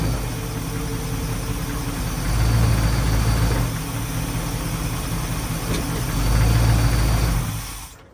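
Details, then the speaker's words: 1981 Dodge Ram 350 carbureted V8 with Edelbrock 600 CFM carb, after blowing out the idle circuit with compressed air and setting mixture screws half a turn out; steady, even low idle with no stumbles, running smoothly. "foreign so that seemed to do the trick um it runs smooth now"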